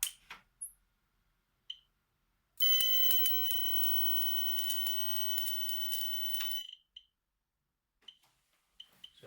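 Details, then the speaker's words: Homemade X-ray setup using a CRT TV supply and Soviet V1-0.15/55 kenotron rectifier tube, Radiascan 701A dosimeter placed near the tube: shrill continuous alarm about four seconds with rapid clicks; high X-ray dose rate. "quite a lot of x-rays don't know if you can see any flashes or not"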